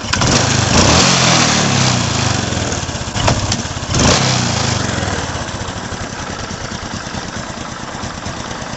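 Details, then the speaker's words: Honda Supra X 125 that often stalls and cuts out; uneven single-cylinder running with faint irregular ticking; coil lead pressed by body cover touches the frame and arcs: ignition spark leak. "lalu kemudian kabel yang dari coil ini pun akan sedikit yaitu menempel pada bagian bro nyetrum. Nah ini nyetrum bro."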